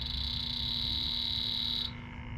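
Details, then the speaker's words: Electronic leak detector shrill steady alarm at a leak on an aluminum evaporator coil with no refrigerant pressure left (Schrader core removed); detector still alarms on the refrigerant leak. "we'll pick up that leak with no pressure behind it so that just gives you an idea of how well the x10 works there's no pressure in this coil at all"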